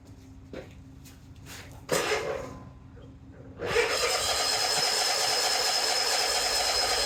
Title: eXmark won't start